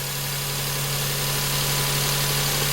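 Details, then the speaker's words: Perodua Kenari (Daihatsu Move) 1.0 three-cylinder fuel injection, first start after timing belt and tensioner replacement: steady, even low hum with no knocks, misses or surging; ticking over smoothly as it should. "ticking over and sounding very nice exactly as it [Music] should"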